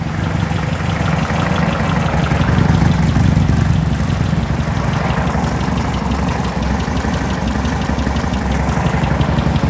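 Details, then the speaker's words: Circa-1970 sand rail air-cooled engine idling on all four cylinders, shop about 80°F: light quick tick over low rumble at dead center of the block; owner suspects a sticking lifter, not a rocker. Ticking at idle. "it's not rocker sounds like a lifter steam steam steam Steam we're hitting on all four I don't know if that tapping picking up sounds like a sticking lifter cuz it's dead dead center of the block"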